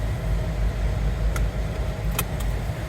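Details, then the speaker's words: 2007 Jeep Wrangler JKU (a seat-occupancy no-start issue), running after the battery had been disconnected: a low, steady idle with an even rumble, no knocks or ticks; revving like normal. "the battery's been disconnected to the radios not on a station so this is revving up like normal now"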